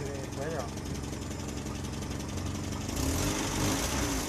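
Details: Colt engine that had been misfiring, sputtering, backfiring and sluggish, after an adjustment was set to about 0.2: even, steady idle with no misses or stumbles.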